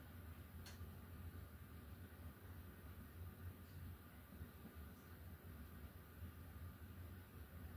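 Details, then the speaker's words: 42-inch SMC U42 ceiling fan, after fixing bent blades and light kit, running on high speed: soft, steady low hum with no ticking, rubbing or grinding; bearings running quietly, normal. "And the bearings are quiet again, which is nice."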